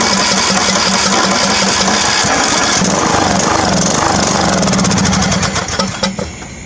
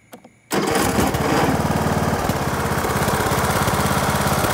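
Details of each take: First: Craftsman riding mower, about 19 hp, with old gas drained from the tank and bowl and fresh gas added but the carburetor not yet cleaned: cranks, catches, runs ragged and uneven, dies and fires again. Rough running. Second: Craftsman riding mower after its carburetor was cleaned: catches at once and settles into a steady, even single-cylinder putter with no misses or surging. It now runs and mows normally.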